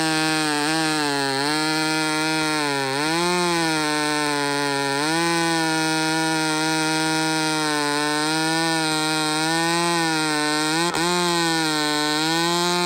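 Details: Chainsaw (a 395) with 3/8 chain cutting a cedar log screams at high, nearly steady revs and barely bogs in the cut; chain not biting because the rakers (depth gauges) are too high.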